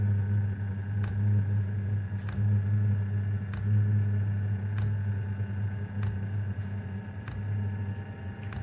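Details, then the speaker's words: Diesel heater mounted directly on plywood, started on high: steady low fan hum with sharp fuel pump ticks about once a second, ramping up; normal startup; mounting on frame would resonate more. "there are ways to quiet it down. Like for example, this is attached directly to the plywood. If it's on your frame, it'll tend to resonate through."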